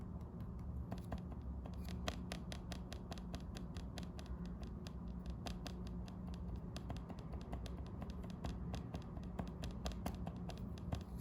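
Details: Lenovo IdeaPad Slim 3 15AMN8 laptop: rapid sharp taps, each single/double tap on the touchpad giving an audible, annoying click in a quiet room.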